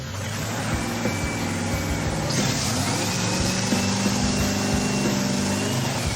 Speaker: Man, I gotta say, it sure feels good to hear the car fire up like that.